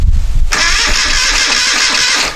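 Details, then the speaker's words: 1973 Moto Guzzi twin, first start attempt after decades off the road: oil full, carburetor tickler primed, key on; starter spins about two seconds with even, firm compression pulses but never fires. Spark verified; fuel supply suspected. "sounds like compression see if we have [Music] spark"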